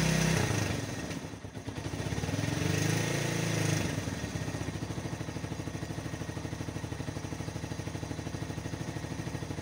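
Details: 1997 Yamaha SR 125 first start after winter storage: a few rough cranking attempts catch on about the fourth, then the single settles into a steady, even idle thump; normal cold start and idle.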